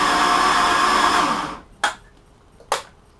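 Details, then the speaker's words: Mercruiser Chevy-block boat engine, compression test with throttle open: starter spins with smooth, even whir and no compression beats, no load at all; cylinder holding no pressure, leaking. "run the compression tester throttle open you can hear there's absolutely no load on this"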